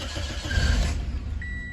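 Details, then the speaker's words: 2008 Toyota Corolla LE with 114k miles, started after repair with the cooling system not yet bled. Catches on the first crank and settles to an even, low idle, no knocks or grinding; slight squeak, likely coolant on the pulleys: normal start. "Oh, yeah. Toyotas do that. Uh, yeah. Cool. Sounds just like my gold one."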